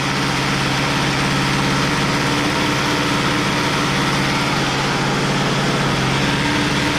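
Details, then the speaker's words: Poulan Pro P3416 34cc 16-inch chainsaw, abandoned, revived with new Champion plug and idle screw adjustment; plug gap likely too closed: even, steady buzzing two-stroke note, no misses or surging; running cleanly. "there we go well honestly i think it was the gap it was a little too closed in"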